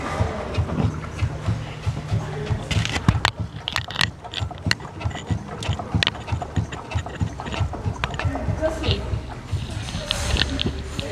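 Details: Jeep Compass 4x4, 48,000 km, microphone beside the front stabilizer bar as the suspension is worked: hard, irregular knocks over a low rumble, heard loudly inside the car; front stabilizer bar knock.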